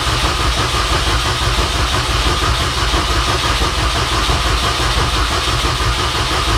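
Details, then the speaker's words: 2006 Mini Cooper S R53 after cylinder head replacement, coil pack unplugged to prime oil: steady churning crank about a beat and a half per second that never catches. "all right so i'm going to crank it here and nothing happened"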